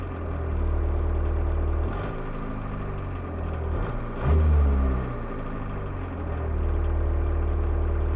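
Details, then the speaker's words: VW Mk1 Rabbit 1.6L turbo diesel, injection pump idle screw raised for winter, recorded inside the cabin with microphone on the driver's chest: steady diesel clatter at slightly raised idle with small swells; healthy, owner may lower it a hair. "so this is what the interior sounds like the microphone and this videoos on my"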